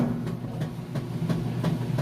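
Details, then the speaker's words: Kenmore top-load washer, normal setting, warm water, super capacity plus, full load of jeans and towels, agitation cycle: strong rhythmic swish-thump about three strokes a second, steady and even; lid switch works, healthy agitation. "Lid switch works. You can hear it's got a nice strong agitation, which is essentially what gets your clothes clean."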